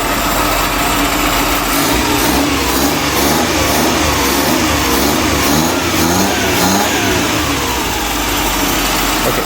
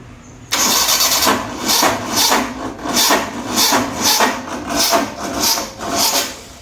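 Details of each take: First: Restored 1985 SS80 carburettor petrol engine, after it was started and the timing corrected: revs blip up and settle into a fairly steady idle with no obvious knocking; it is running normally. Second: 1985 Maruti SS80 carburettor car under restoration: engine cranks in slow uneven surges for about six seconds without catching; hard starting, missing or timing change suspected; smoke and an overheated added wire noticed afterwards.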